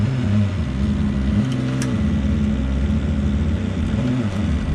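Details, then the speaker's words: Camper roof being cranked down with the fan on full: low droning groan wavering in pitch, then a clunk as it settled; the lift shock moved and its top mount piece was probably ripped. "It sounded like it settled. It went clunk. So, oh yeah, I just saw that shock move. Is the top piece, it just got ripped probably."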